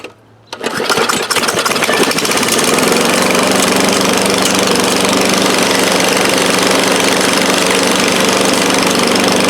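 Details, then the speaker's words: 2013 Craftsman lawn mower, thrift-store find, primed and started: pulls over and catches, then settles into a harsh, loud, raspy bark with little muffling; loud exhaust from broken muffler, a piece of muffler to be removed. "I get you guys in here thing actually didn't run too bad a little loud"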